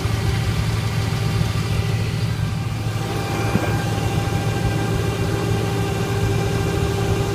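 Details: 2005 Dodge Ram 1500 4WD Hemi, 80k miles, engine running with no gears at all and a steady high whine; owner suspects torque converter or front transmission pump failure.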